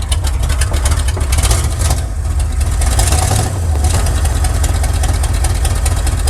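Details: 1979 Chevrolet C10 V8, freshly started cold with new coil, known exhaust leak at headers: deep uneven loping idle; misfiring, owner suspects timing needs adjusting, not confirmed.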